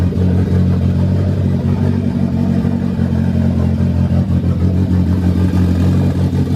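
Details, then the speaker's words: Honda sedan engine running after chain tensioner and valve lash work; earlier smoking toned down by fuel trim map change. Loud, steady low drone with fast, even firing beat, no knocking or rattle; normal running. "the biggest thing was just to know that the car turns on, and it ran. Turned on. You heard it. I mean, it sounds good."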